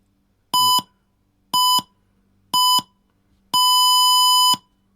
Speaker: so it looks like the speaker's okay and when I turn it on it should now beat from the speaker so plenty loud enough for Riders